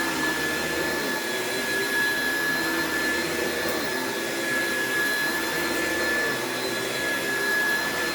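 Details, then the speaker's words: Classic Oreck upright with no height adjustment on thick carpet: steady motor roar with a strained high whine as the brush roll bogs down, wearing the belts, with a slight burning smell after one room. "you could hear it agitating as i pulled it back but the brush rolls just bog down on these and it causes a lot of wear and tear on the belts"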